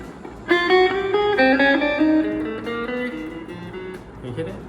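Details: Suhr Strat copy guitar after fret leveling during pro setup: several plucked notes ring clear and sustain evenly, no buzzing or choked notes; frets play clean.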